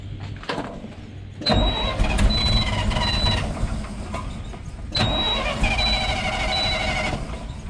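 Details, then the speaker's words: 1968 GMC C60 truck that had sat for an unknown period, non-running, varnished fuel: starter cranks the big engine smoothly with a steady, even rhythm, no hesitation, drag or grinding; normal cranking. "Man, that thing cranks so smooth. It sounded pretty cool too."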